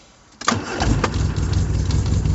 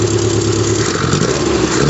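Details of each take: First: 1974 MG Midget with SU carburetors: engine catches at once, revs climb and hang high instead of settling to idle; throttle suspected sticking, possibly from the curved throttle cable routing; cable lube or replacement planned. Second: 1974 MG Midget four-cylinder after carburetor kit upgrade: holds a steady drone then picks up smoothly as throttle opens; great throttle response, no stumble.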